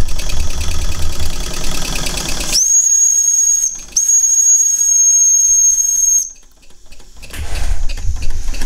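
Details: Old small model steam engine, not run in about 20 years, under pressure: rough chuffing, then a steady high whistle with hiss that drops out briefly, returns and stops; normal steam whistle.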